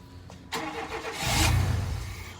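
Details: Chevy K1500 truck that sat for years, cranking on a new battery with starting spray: starter cranks, engine coughs and briefly tries to catch before dying; it won't run.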